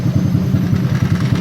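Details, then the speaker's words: Honda Supra X 125 single cylinder, started after days unused, idling immediately: steady idle with a fast, even buzzing rattle from the vibrating license plate; engine otherwise normal. "normal sih semuanya ini bunyi-bunyian ini dari sini nih dari plat plat"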